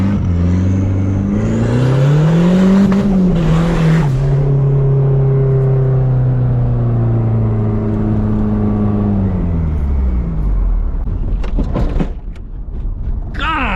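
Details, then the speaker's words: Cheap turbo Nissan 240SX drift car running hot and spitting coolant while driven: uneven, lumpy drone with ragged revs. Misfire; owner suspects loose injector connector plugs needing replacement. "Still alive, so it's misfiring again. Definitely those plugs need to get swapped out for new injector plugs because those things are just, they're not like connected."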